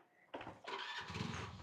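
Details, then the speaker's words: 1995 Hero Honda CD100, about 31 years old, cold start: small single catches quickly on the first try and settles into an even, steady beat with no misses or knocks; healthy cold start. "Oh, I think I need to do a little bit kind of cold start, but"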